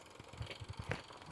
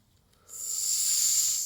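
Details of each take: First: Restored Mamod TE1 toy steam traction engine at full regulator with drive band fitted; quick, soft, even chuffs with light hiss, smooth and regular, though the drive band slips slightly and a tighter one is wanted. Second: Restored Mamod TE1 steam traction engine under steam after fitting wheels: a steady airy hiss for about three seconds with no whistle note, the whistle blowing through without sounding; the earlier ones typically won't sound out with the whistle.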